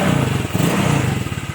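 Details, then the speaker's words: Honda PCX 150 that was hard to start and stalled at idle, after valve adjustment for tight valves: steady, even low putter at idle with no misses, holding revs; fixed by valve adjustment alone. "มาลองฟังกันดูว่าติดไม่ติดอ่าเดินเบานิ่งๆเลยนะครับสาเหตุเกิดจากวาล์วยันนะครับตั้งวาล์วอย่างเดียวหาย"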